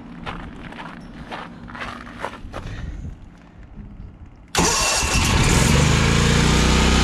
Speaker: let's see if the generators needle valve can handle at counter pressure oh that sounds so much better